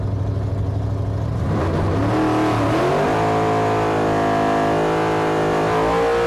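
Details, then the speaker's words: Supercharged Hemi drag car on a test pass; engine note climbs then flares without matching pull at the top of first and into second, the clutch slipping under full load, so the run was aborted. "it feels like it's slipping the clutch not so much when it leaves the starting line but at the top of first and uh into second so I aborted the Run"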